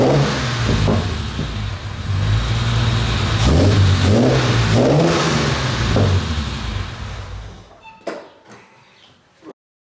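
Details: Restored Jaguar E-Type 4.2 Roadster, owner-built and driven to England: six-cylinder catches cleanly, revs rise and fall smoothly with even exhaust beat, then shuts off; healthy start and rev.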